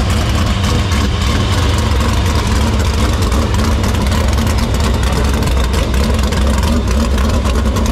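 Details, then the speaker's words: Dirt Silver Crown race car after fixing vapor lock in the fuel cell, fuel line and filter: loud, steady, deep idle with even beat, no stumbles or misses; running clean. "next is we're going to fire it up it's gonna breathe fire we hope see what happens"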